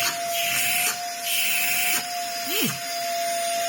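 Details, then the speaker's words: 2004 UDS Henry vacuum cleaner fitted with a Vax motor after cutting part of the original mount; a steady high whine with uneven surging and rattly bursts. The motor is not seating properly in the mount, giving rough noise. "That's a back there [Applause] that's not working right no that's no good and that's not again that's not seeding properly down here"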